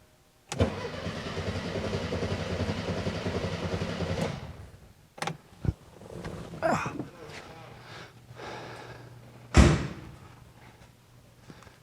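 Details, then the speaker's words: 1978 VW Super Beetle with original fuel injection: about four seconds of even starter churning without catching despite spark; the owner wondered if it flooded. Cranks but won't start. "it should at least light off cuz it's getting spark I guess let me double confirm spark but oh boy I knew this car was going too easy you can hear it it's trying"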